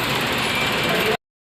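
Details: Maruti Suzuki new Wagon R petrol engine, earlier showing check light with P0300/P0303 misfire codes, after repair: idles evenly for about a second with no stumble or missed beats; normal idle.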